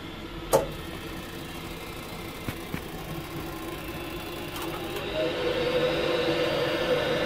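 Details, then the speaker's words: Worcester Greenstar 30Si Compact boiler, EA fault, air intake pipe to fan detached and stuck to casing: fan hum with sharp ignition clicks, fan speeds up but no burner lights, repeats then locks out; repeated failed ignition. "there you go that's that's the base of the fault there because it didn't light the ignition from so you can see it won't work"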